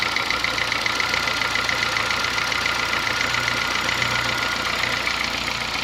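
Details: Honda Fit gasoline engine at steady idle: fast, light metallic ticking clatter, diesel-like, compared to an old Kombi diesel or sewing machine; owner says it lessens once warm; internal knock, cause not yet found, car at workshop.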